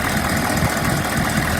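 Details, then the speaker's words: 2002 Chevy 3500 utility truck, 6.5 L diesel, 71,000 original miles, jump-started off two boxes with both batteries dead and no starting fluid, running 30–40 minutes: steady, even diesel clatter at idle with no misses, knocks or surging. The engine sounds healthy. "This one has a 6.5 L diesel engine with only 71,000 original miles. The engine sounds good."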